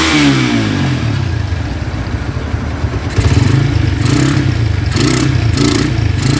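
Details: Honda Tiger single-cylinder motorcycle that smokes when cold and has lost power, started after a wash: rough, loose clatter from the cylinder head rising and falling with each rev blip; cause found to be loose rocker arms.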